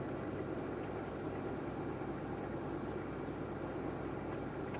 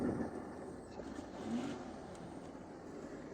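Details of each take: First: 1987 Lincoln Town Car with 5.0L Ford EFI, revived after sitting almost a decade, on a cold start: idle surges briefly, then levels out to a steady, even low rumble. Normal idle; it later ran badly with no throttle. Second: 1987 Lincoln Town Car 5.0L Ford EFI V8, revived after sitting nearly a decade: uneven, lumpy idle, running very rich and surging.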